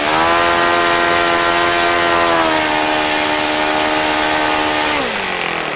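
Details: OS FS-95V four-stroke model engine, rebuilt with replaced bearings, hand-started warm on 15% Morgan's Omega fuel with a 14x6 prop and OS F plug: high, steady buzzing tone at even revs, easing down smoothly at the end; runs cleanly, normal run.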